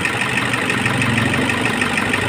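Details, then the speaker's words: Toyota HiAce 2KD diesel, misfiring and knocking, at idle during a scanner balance test. Cutting fuel to cylinder 1 brings only a very weak reaction and the beat stays slightly uneven, so cylinder 1's injector is suspected weak. "reaction yung engine kaso mahinang mahina So parang may problema yung one natin y halos Walang nagbago"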